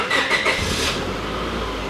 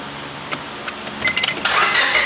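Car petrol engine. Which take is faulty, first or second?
second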